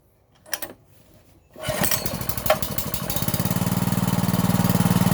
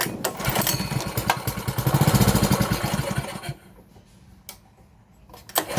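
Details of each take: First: 5.5 hp gasoline water-pump engine, after carburetor cleaned and its air-hole rubber removed, blown out and cleaned, idle re-set: catches after a couple of pulls into an even steady putter about four beats a second; idle now smooth, no stumbling. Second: 5.5 hp petrol water pump engine after a carburettor clean (it would not start before): it hunts and surges unevenly, dies when throttled back, then runs rough. The idle speed screw needs adjusting.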